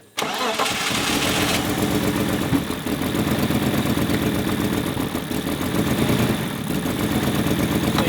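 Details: BMW E46 drift car that sat long in a yard in Germany, started while ignition coils are pulled one by one to find the bad cylinder; quick start to a lumpy, unsteady idle with irregular shake; misfire at idle.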